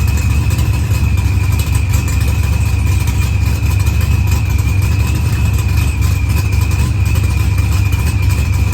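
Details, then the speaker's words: Dodge Challenger with supercharged LS swap and zoomie headers, after blown head gasket and fuel pressure sensor fixed, firmware V6 220, timing 27° (target 28°), idle leaned: even throaty idle with constant high supercharger whine, no misses or knocks; healthy. "I don't get it. But it's running good. It takes the gas."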